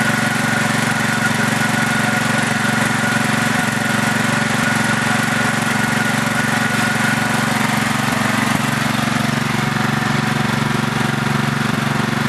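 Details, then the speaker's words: Craftsman LT4000 lawn tractor engine running: steady small-engine run with a light, regular tapping about four per second; owner thinks it is the valves but is not sure. "that was me shutting it off i think that noise is the uh valves i'm not 100 sure uh most likely this engine doesn't need the valves adjusted"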